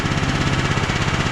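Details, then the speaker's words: ETQ TG72K12 portable generator, about 14-15 years old, running to test rectifier charging: steady, even single-cylinder thump, no misses or knocks; battery reads about 13.19 V, rectifier fine; starter solenoid suspected for starting fault; normal running. "so we'll start back up and we'll check and see if our rectifier is having an impact on our battery"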